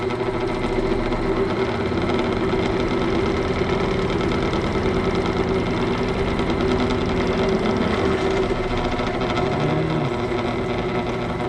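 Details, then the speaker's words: Lathe with unbalanced workpiece after adding 25 lb at motor end and 50 lb at other end, sped up: steady fast shaking hum with rapid buzzy rattle; little difference at higher speed, obvious improvement at lower speed. "at the higher speed I'm not sure there's that much difference but at the lower speed I think there's an obvious difference"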